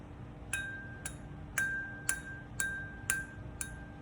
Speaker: you hear that high pitch noise all right that's what you want to hear okay if you hear a thump uh throw out that stuff